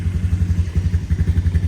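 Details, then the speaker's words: 2012 Honda Recon ATV with electric shift, sat over six months, started first try without choke at 58°F, in neutral: crisp single-cylinder thump, about eleven even beats a second, no misses or rattles; normal idle. "let's give it a crank Wow how about that first try started right up that's amazing"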